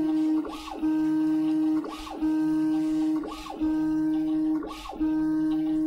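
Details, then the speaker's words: New Prusa i3 Mk2s 3D printer preflight self-test: steady stepper buzz broken about every 1.4 seconds by a rising-falling sweep as the axis reverses; clean, even, normal motion. "Well, That's getting really annoying. There's got to be a way to make music with these."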